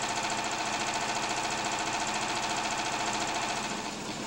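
Quick, even firing at about 214 a minute with a light mechanical clatter and no knocks or misses: a healthy engine running.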